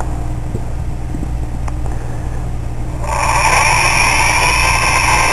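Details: Hard drive whose heads were stuck, struck to make it spin up: quiet at first, then a harsh rough grinding whir with a high tone as it spins up. Failing bearings suspected, unconfirmed.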